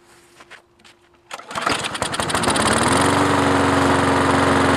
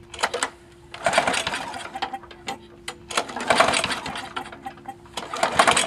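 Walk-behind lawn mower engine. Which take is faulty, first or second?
second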